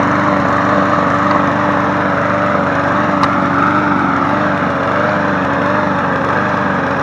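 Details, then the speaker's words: Craftsman 22-inch push mower 917.385320 after running a few minutes: a loud drone with a lumpy, wavering beat. Rough running; the owner suspects a check valve, not confirmed, and it later smoothed out. "I'm wondering if one of those check valves is causing this issue. She's not happy."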